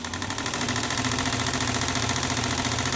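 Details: Old sewing machine after unseizing with oil, hand-spun then run slow 3 to 5 minutes, now at full speed; fast even whirring chatter with light ticking, no belt slippage or squeal. Normal running.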